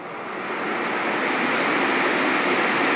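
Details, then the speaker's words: Honeywell HCM-6009 humidifier fan at full speed after rebalancing with a repositioned dime counterweight, motor resting on the ground; even rushing air with no wobble or rhythmic thumping, almost no vibration, much improved over before. "this piece which used to shake quite a bit is not quite stable almost no vibration and when you touch it there's a slight vibration but it's much much better"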